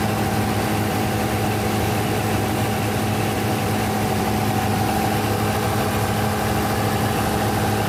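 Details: Denyo DCA610SPM diesel generator running after no-start repair, magnetic pickup and wiring tested good: steady even drone, constant low hum and clean mid tone, no misses or knocks; running healthy.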